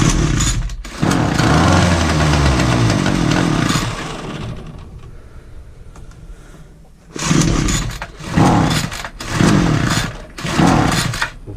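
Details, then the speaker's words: Titan two-stroke multi tool strimmer after carb adjusting screw tweak; starts on choke, buzzes and blips but never reaches full revs; fuel lines look worn, carb to be inspected; fuel starvation from non-venting tank. "Some choke. It's starting, but it still ain't right. It's not getting to full potential of the revs."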